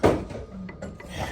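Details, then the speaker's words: 2011 Jeep Wrangler JK 3.8 V6, hub rocked by hand: two dull clunks about a second apart, a lot of play from a worn wheel bearing due for replacement. "It's quite a shake on the bearings, there's a lot of play."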